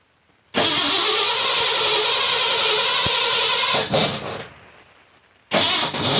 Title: Won't start